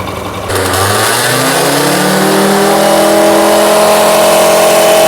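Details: Honda Lead AF20 two-stroke scooter (oil-petrol premix), first start after a major engine overhaul: catches and climbs smoothly to a steady, raised idle while the auto-choke closes. Clean, even note with no misses or knocks; front plastic rattles. Normal idle and revving.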